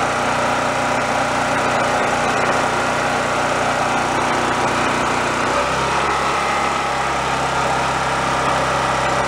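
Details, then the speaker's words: Roadside free Chinese-knockoff mid-size single-cylinder generator revived on the bench, warming up before frequency tweaking: steady buzzing run that drops to a lower, settled note midway, even without misses; running normally while warming up. "I'm gonna let it warm up a little bit we'll see where the frequency lies and do a little bit of tweaking"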